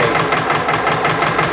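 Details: Subaru engine at idle: fast, even clatter over the idle, heard more through the intake, barely on driver side, quiet on the tensioner bracket; owner plans passenger-side valve adjustment. Cause unconfirmed.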